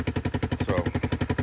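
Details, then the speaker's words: ATV that had trouble starting, running while being loaded: loud, sharp chuffing pulses at roughly eight per second, much louder than normal, from an exhaust leak. "And you can hear how loud this thing is with the exhaust leak."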